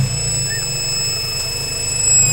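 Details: Honda B18C6 engine running with a thin, steady high-pitched whine above a quiet low engine hum, constant throughout; source of the whine unknown.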